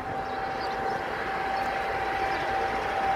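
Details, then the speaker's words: Stall warning check on a preflight exterior walkaround with the master switch on: lifting the vane on the right wing sounds a steady mid-pitched warning tone from inside the cabin, showing the stall warning works normally. "hear the stall warning on the right wing of the plane right now? Look, when we lift it like this, you hear a warning from inside the plane."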